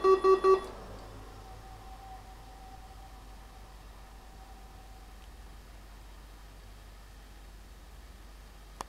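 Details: Sun Blade 1000 at power-on: beeps, then a fan hum and faint whine before a click as it shuts down, failing POST. It had bent pins on the primary CPU (repaired) and on the secondary CPU socket (possibly repaired). The second CPU may be incompatible, or the motherboard damage too extensive.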